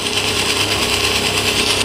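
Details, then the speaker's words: Redmi Go phone speaker playing ringtone: steady harsh, raspy, generator-like crackling buzz over the tones instead of clean sound; fault attributed to the audio power IC. "कोई भी अगर sound सुनते हैं या कोई भी ringtone होते हैं तो बहुत ज़्यादा झड़झड़ाहट सी आवाज़ है, जनरेटर की तरह आवाज़ आ रही है, खड़ खड़ करके आवाज़ आ रही है।"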